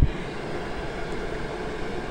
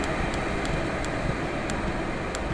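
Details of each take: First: Chinese diesel heater trying to run on Jack Daniels (40% alcohol), which could not keep it lit: a steady low whir with no burner roar as it flames out and the fan runs on in shutdown mode to cool it. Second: 12V Chinese diesel heater turned to its slowest setting, with the fuel pump at 1.7 pulses per second: soft pump clicks over a steady low burner roar; running cleanly.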